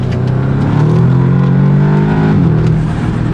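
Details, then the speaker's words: Audi S3 after new coil packs, with spark plugs already replaced and fault codes cleared: revs up cleanly and settles back smoothly with no stumble; misfire gone, running on all cylinders. "it's all normal again all it needed was those coil packs and now we are running at full 100% again"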